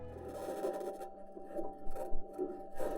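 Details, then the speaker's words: Mars Perseverance rover driving, metal wheels rolling over rocks give irregular bangs, pings, rattles and scraping, with an unexplained high-pitched scratching also present; normal wheel rolling noise. "but with this recording we can hear the bangs pings and rattles from metal wheels rolling over the rocks"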